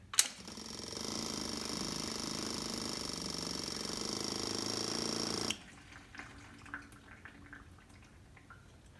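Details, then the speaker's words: Yamaha V-Star 1100 after carb rebuild, ignition on, feeding a test can: electric fuel pump buzzes steadily about five seconds and cuts off cleanly, then fuel trickles. Normal fuel pump priming. "I can now take my key put it in the ignition and turn it on you'll hear a noise followed by fuel flowing into the can you can also hear once you shut it off - it'll continue to flow"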